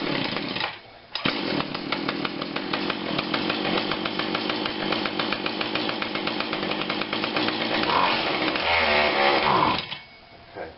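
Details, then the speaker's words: Husqvarna 142 40cc chainsaw, unrun for a long time, no primer bulb, fuel spritzed in, on heavy choke; two-stroke buzz wavers and stumbles several seconds before dying: rough running on choke. "it's a little bit of choke choke pulls that out of the way or what i think it gives a little bit of throttle looks like okay that's a lot of choke"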